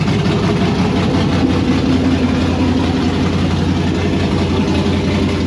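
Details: 1992 Firebird with LS swap and Holley Terminator X, first start with temporary flex pipe: deep, steady V8 idle with a slightly uneven lope and no knocks; runs, but idle air screw likely still needs adjusting.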